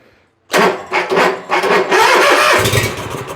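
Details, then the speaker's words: Bobcat zero-turn mower with no-start electrical faults, after brake cleaner was sprayed in: engine catches, runs unevenly a few seconds, then sags and dies. A weak battery is suspected, and it behaves as if the carb fuel solenoid lost power. "Probably need to charge the dang battery. Runs and dies. Now we got a fuel issue to deal with."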